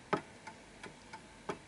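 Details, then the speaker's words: Antique Westminster chime mantel clock, during repositioning to find its center of gravity, ticking about three times a second with slightly uneven tick-tock spacing; clock slightly out of beat. "And notice you hear that ticking. That's off, because it's a little bit, it's not a perfect tick."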